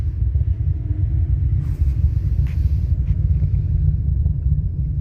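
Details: Two Soundqubed HDX3 12-inch subwoofers on a Taramps MD 5k amp, head unit volume at zero, slight gain: steady deep constant rumble with no music, cones moving slightly; noise source unknown.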